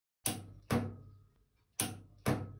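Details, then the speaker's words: Starter motor on a 2000 Blazer with 4.3 engine: four heavy single clunks dying away, no cranking; starter clunks but never turns the engine, cause not yet confirmed. "el problema es que al dar marcha únicamente se escucha un tronido"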